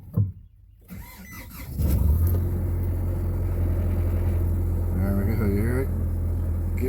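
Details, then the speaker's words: Vehicle at 200,000 miles, started right after an oil and filter change: cranks and catches, then within seconds settles into a quiet, even low hum with no tapping as the rpm rises slightly; a healthy idle. "real quiet real quick. RPMs went up a little bit."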